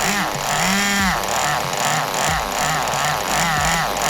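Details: Restored 2001 Kyosho Pure Ten V-One S nitro RC car, primed and fired up for the first time: a high, buzzy little engine catches and revs in short bursts, the pitch climbing and falling cleanly. It is running normally.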